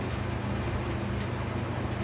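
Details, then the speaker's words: Restored McGraw Edison box fan (Comfort Conditioner): steady low motor drone while blade hum eases off about 12 minutes into running, as the blade hub slips on the motor shaft despite glue dots and paper shims. "So there it goes. It's slowing down."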